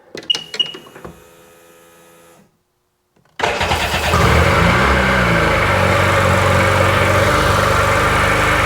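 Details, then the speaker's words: Sea-Doo 951 DI two-stroke after rebuild, dry test in drown mode with no drive shaft: clicks, then it fires into a fast buzzing idle with a faint hiss from an air leak at an unhooked hose. "Oh, got an air leak. Didn't hook up this hose. Knew I heard something."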